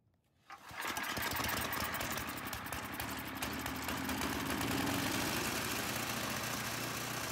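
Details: 2005 Ariens Sno-Thro 926101 snow blower test run after traction belt replacement, wheels propped up: catches within a second, steady even small-engine run, no stumbling; runs fine.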